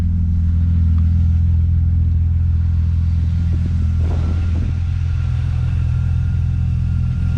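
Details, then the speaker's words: BMW E36 M3 started after a valve cover gasket and new spark plugs, to cure codes P1188/P1189. Compression was high on cylinders 5–6, possibly carbon buildup. Steady, even low rumble with no misses, stumbles or ticking. Smooth, normal idle. "well it sounds like it's a like Smooth the real T to way to see if I really fix the issue is we got to go out and go for a rip to go drive it"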